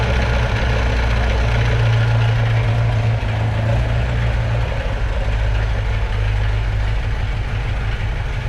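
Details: 1978 Alfa Romeo GTV idling indoors after new water pump, hoses, intake manifold rubber spacers (torn ones had caused poor idle), motor mount and front exhaust: low, steady, even firing with no misses or hunting; normal idle.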